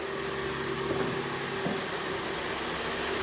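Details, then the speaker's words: Kia Sportage restyling with G4NA engine, 2014, 91,000 km, after full engine rebuild with block bored 0.50 to cure lifter knock: quiet, smooth, steady idle with no valvetrain ticking; healthy normal idle. "ровно работает тихо как и должен работать автомобиль"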